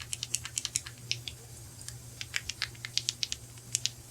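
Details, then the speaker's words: Mac GHT 17 two-stroke hedge trimmer, carburetor rebuild: flexing the fuel pump diaphragm by hand gives dry, crisp crackling clicks; it has gone stiff, should be supple like linen, and needs replacing. "This is the one where uh it's got a very small little actuator like a little nipple T or whatever. Hear it? Yeah, that's not good."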